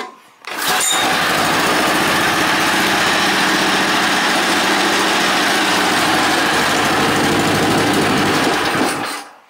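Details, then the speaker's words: Wheel Horse 500 garden tractor, small single-cylinder engine with a newly fitted exhaust and a fuel line leak, at idle: smooth, even and quiet with no knocks or misses. The engine is louder than the exhaust; normal idle. "so it's pretty quiet and that's just on idling uh I had it on rev and it kind of so sounds like the same thing I think the motor itself makes more noise than the exhaust so that's different"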